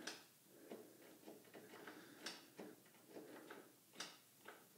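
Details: Simplicity Regent mower, 14hp Kohler Command engine, reported electrical issues, key turned with jumper pack attached: only faint quiet clicks, no cranking; starter motor faulty, relay issue also suspected.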